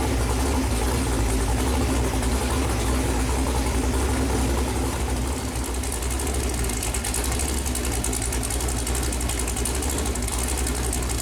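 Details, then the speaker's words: Chevrolet Performance 454 big-block V8, fresh build on a run-in stand, first run: deep, even rumble holding a steady idle with no knocks, misses or ticks; temperature hung around 190, oil pressure really good; normal idle. "motor started up runs good got up here and hung around 190 uh uh oil pressure seemed to be really good idling and revved up seem to be kind of where I'd like it"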